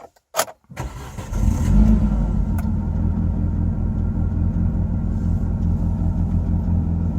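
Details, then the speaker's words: Car not originally E85 running on E85, cold start with added potentiometer tricking the ECU into reading colder to enrich fuel: brief crank, catches within a second, settles into steady even idle with no misfire; healthy cold start. "Démarrage à froid, comment ça fait avec le potentiomètre. Donc je le tourne et je"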